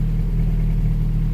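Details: Honda Prelude, first start after sitting, harness thrown on as-is, alternator off: loud, steady low rumble with an even beat, no misses or knocks, oil pressure holding steady at 40 psi, no check engine lights; normal idle.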